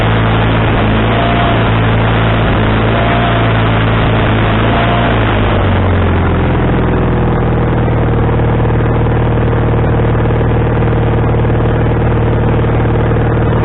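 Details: Wood-Mizer LT40HD sawmill engine with a new carburetor, after the linkage was moved from the wrong hole: drops to a lower, rumbly idle about six seconds in, with the speed wavering. The idle is now adjustable, but surging remains.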